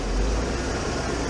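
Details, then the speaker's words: 1996 Ford F-150 V8 being diagnosed for high idle (owner suspects bad TPS): with the intake ductwork removed, the MAF detects no airflow, so it runs rough with a deep, heavy, slightly uneven idle rumble. "And now the reason it's running crappy like right now is because we got the ductwork off and the mass airflow isn't detecting any air going through it."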